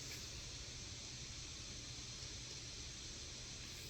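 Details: GPD Win Mini (7640U, 16GB RAM) running God of War at 1080p, 20W TDP in performance mode; fan manually set to 70% above 60°C, giving a smooth, even airy whoosh with no rattle. Normal fan noise.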